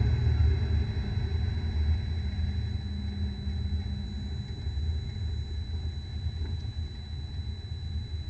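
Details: Car rolling along with a bad bearing: a deep, steady, low-pitched droning rumble underneath.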